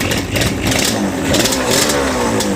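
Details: Yamaha Banshee 350 twin two-stroke, sat about 5 years, after TORS delete, carb clean/rebuild and new throttle cable: crackles into life, revs up and down with rising buzzy note, picks up cleanly and runs on normally.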